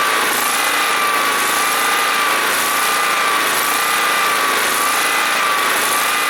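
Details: John Deere SST-15 Spin Steer riding mower, jump-started after its fuel was emptied and its carburetor cleaned and adjusted; smooth even high-pitched drone with constant tone and no misses or knocks, so the engine runs nicely.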